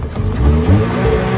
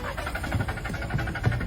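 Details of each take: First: Secondhand car that would only start at night and not in daylight, now after the fix started at 5:04 p.m. in daytime: the engine catches at once and revs cleanly with a deep, even note, no misfire; normal start and rev. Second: Secondhand car that only starts at night, won't start in daylight, spark plugs and oil pump already replaced, throttle and oil line cleaned: starter churns at about three compression pulses a second but never catches; cause dirty intake air temperature sensor.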